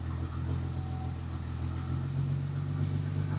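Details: 1977 Ford F100 with a 300 inline-6 and FiTech EFI, target AFR reset to 13.6 after a lean 15:1 test that ran unhappily. Low, steady idle burble with an even beat and no misses or stumbles; normal idle.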